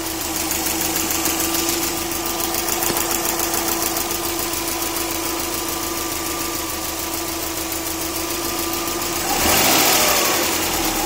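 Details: Subaru EJ20K engine at idle: steady fast ticking about four per second tracking idle speed over a constant hum; cause unknown, owner wonders about piston slap, timing belt tensioner, AC or lifters.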